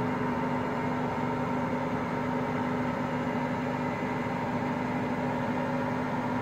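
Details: Hotpoint Aqualtis washing machine, drum bearings just started failing today: a steady even hum with a low rumble underneath while the drum turns, no knocks.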